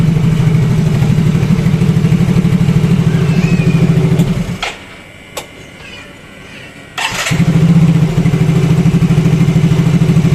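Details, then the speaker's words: Yamaha Mio Fino 125 fuel-injected scooter that came in unable to idle; after the ISC/throttle-body idle adjustment it idles unassisted: steady, even putter of about three beats a second, stops briefly, restarts at once and settles smoothly. A normal idle. "jadi ini enggak saya pegang ya untuk e kondisi gasnya tuh ini normal ngangsap Oke aman"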